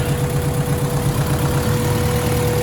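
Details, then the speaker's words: Honda EJ1 with a B16 head on a B18A1 block, P73 intake manifold, prepped for turbo, idles cold with a steady, even low rumble and no misses; it idles much better than before, though an exhaust leak remains. "so it's idling a whole lot better"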